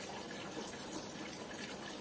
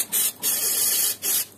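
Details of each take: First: Combi boiler radiator being bled at its air valve: smooth, even hiss of water with no spitting or gurgling, so no air remains inside. Boiler pressure then falls slowly. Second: Heating radiator (combi boiler system) bleed valve opened during pre-winter maintenance: sharp steady hiss in bursts as trapped air vents out.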